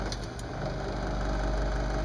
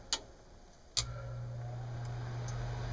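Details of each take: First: Lennox mid-efficiency furnace inducer fan running: a loud steady drone with a low hum and a rough, buzzy edge. The inducer motor bearings are probably worn out. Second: Lennox mid-efficiency furnace after inducer motor replacement (old one noisy, bearings suspected shot): click then smooth, quiet, even hum, no rattle or grind; healthy.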